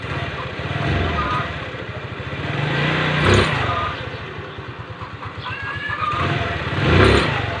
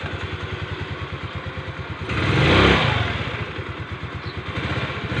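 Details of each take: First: Rusi Gala scooter revving with a rough scraping, rubbing noise from the CVT, caused by a stock drive belt about 2 years old that has hardened and roughened from heat. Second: Rusi Gala scooter after replacing the V-belt, which had hardened from CVT heat and caused scraping: an even idle putter and a brief rev with the CVT scraping gone.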